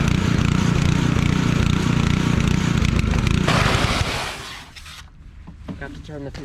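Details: Pressure washer engine, test run with water hooked up: runs steady and even several seconds with no misses, then drops away at shutdown; healthy.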